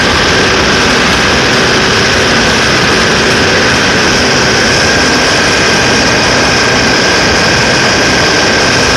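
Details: Cummins QSK45 diesel held at high speed during a misfire check; loud steady roar with a constant whine and no obvious stumble; misfire not confirmed by ear.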